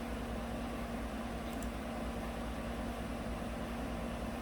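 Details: 2018 GMC 5.3 V8 truck at idle in closed loop, with O2 sensors switching; it had run rough and misfired on bank 1 with rich and O2 codes, traced to a faulty front O2 sensor. Quiet, even idle with a steady low hum and no misses.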